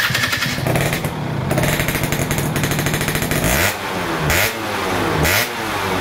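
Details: 2005 Yamaha F1ZR two-stroke, semi-ported, Overseas 25 piston, original carb with RX King 90 main jet and stock pilot jet, stock exhaust, started for carb retuning: ringing idle with crisp revs rising and falling, no knocks; healthy.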